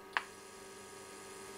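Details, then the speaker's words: RadioMarelli RD272 WEST valve radio under repair: after one sharp click, a faint steady low buzz from the speaker with no signal while the variable tuning capacitor is adjusted; mains hum. "Inoltre adesso dalla cassa esce un ronzio e proviamo a variare la sintonia qua col condensatore variabile"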